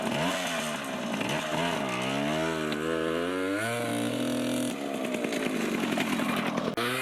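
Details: 1980 Yamaha GT80 two-stroke after carb and gas tank cleaning: crisp buzz climbing and falling cleanly through repeated revs with no misfire or stumble; engine healthy, though forks pop on wheelies.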